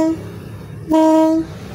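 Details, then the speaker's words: Yamaha Sigma two-stroke reed valve (membrane) being reset to cure a flooding, plug-fouling problem: after bending the petals one by one, blowing through gives short, clear, steady humming tones, showing the petals now seal against the seat. "Nah teman-teman bisa kedengaran ya Suaranya sangat jelas banget ini udah mulai rapat ya"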